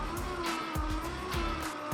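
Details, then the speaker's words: 1923 REO Speedwagon, start attempt with gas in it: steady whirring spin with a soft repeating surge and no firing. The starter is winding freely, not turning the motor, so the engine won't start. "You feel like it's turning the No, motor, or is it nah, just winding freely? Yeah, it's just running free."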